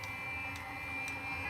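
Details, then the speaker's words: 12V 5kW diesel plumbing water heater, controller at 11 °C, water pump on: steady whirring roar with thin high whine and soft ticks about twice a second; burner has ignited normally. "Current temperature is 11 degrees Celsius on the controller. And as you can hear, we've definitely got ignition."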